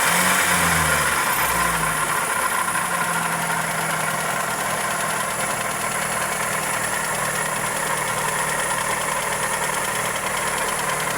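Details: Toyota Corolla EE90 with 2E engine at steady idle: fast, fairly regular light tick-knock riding over the engine note; valvetrain or connecting rod suspected, cause not confirmed.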